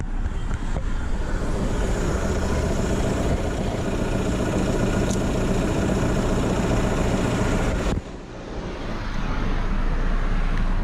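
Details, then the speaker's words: Car at idle with 263,000 km: deep, uneven rumble and loose rattle audible by ear from the dual-mass flywheel and clutch, both needing replacement as a set; engine also drones, suspected empty DPF/catalyst. "tak powiem gołym uchem dokładnie słychać że hałasuje sprzęgło"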